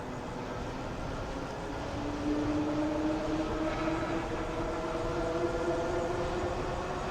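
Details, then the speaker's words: Euphree Stellar Falcon 2 e-bike hub motor on throttle at about 22.8 mph: faint smooth hum rising gently over road and wind noise; dramatically quieter than the original Stellar Falcon, healthy motor. "Yeah, it's dramatically quieter."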